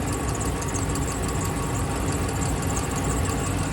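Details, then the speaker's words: 2011 Dodge Ram 5.7 Hemi V8 idling after replacing both exhaust manifolds, gaskets and hardware: a light, fast tick that comes and goes, so a lifter tick rather than an exhaust leak; belt squeak also heard, quieting as it warms. "And you can hear a lifter tick. As you can tell, it's not consistent. Kind of comes and goes."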